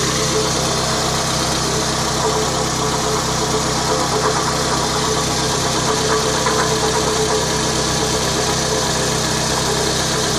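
Steady idle with a faint tick and whirr over the engine. Source unclear; possibly the water pump, though nothing confirms it.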